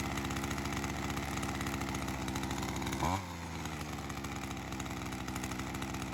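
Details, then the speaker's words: Ryobi CS30 two-stroke string trimmer, HiPA aftermarket carburetor weeks after install, slightly readjusted after settling in, ethanol fuel sitting in it: steady even idle buzz, blips, settles lower without stumbling; holding up. Normal idle. "Looks like she's holding up. So it's been a while since I've had this on."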